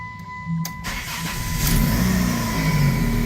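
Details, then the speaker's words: 2006 Dodge Stratus, first start after water pump replacement, crank pulley bolt hand-torqued, before later screeching (owner suspects harmonic balancer): short crank, catches cleanly, settles into steady even idle, no knocks or misses. "sounds good running"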